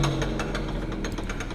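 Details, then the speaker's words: Surface grinding machine coasting down after shutdown: sharp, regular knocks, roughly five a second, over the hum; a mechanical knock from the lower part of the machine, which needs repair. "sebenarnya mesinnya ini perlu reparasi perlu reparasi tadi terdengar plak itu karena di sebelah bawah situ rendahnya itu perlu diotak-atik"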